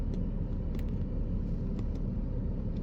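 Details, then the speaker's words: Engine after a cylinder 3 misfire fix: spark plugs showed overheating and were replaced, codes cleared with none pending or stored; smooth, steady idle of about a thousand rpm with no uneven pulses, misfire gone. "All I know is I ain't got a misfire anymore."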